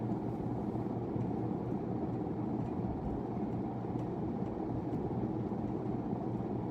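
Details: 1991 42-inch hugger ceiling fan, model HC42, 60 W 0.5 A, on test before install, slight wobble: on high, steady even low hum and airy rush, no knocks or rubbing; about 4,330 CFM measured, running smoothly.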